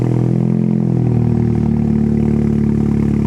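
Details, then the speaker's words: Cold start and idle of a Stage 2 Audi S3 saloon (Quattro) that is low on fuel: a strong, even cold-start idle with a steady low burble and no knocks or misses. The engine is running normally. "exactly what a stage two how the S3 sounds like on Startup uh or cold start even so"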